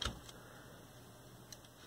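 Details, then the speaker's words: 1970s Panasonic RS-801 8-track player, previously unresponsive, with tape switches engaged: faint even hum after a brief click as the capstan motor (mechanical governor) runs and flywheel turns; quiet, smooth. Normal motor running. "there we go now i can hear the motor running we can see the flywheel turning it's pretty quiet"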